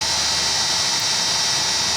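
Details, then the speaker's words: GE 3500 W power supply cooling fan (San Ace 38) in a GatesAir ULXTE UHF solid-state transmitter: constant high-pitched hissing whir with a rough edge that never settles; worn fan bearings, fan to be replaced. "so if you can hear that that is the wonderful sound of some bad bearings"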